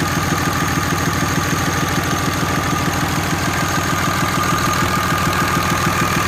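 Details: 6.7 Cummins diesel after new head gasket, ARP 425 studs, reused exhaust manifold gaskets, valve lash .010 intake and .020-.022 exhaust: steady idle with a regular light tick about three a second; valve lash or exhaust leak suspected.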